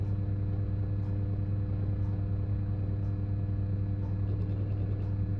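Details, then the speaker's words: Bathroom ceiling fan, microphone held up near it: steady low mains hum with faint chirpy bursts roughly once a second, strong and weak; owner believes data on power lines, not fan imbalance, source unconfirmed. "there you go again and you hear little weak ones come through as well it's very very strange"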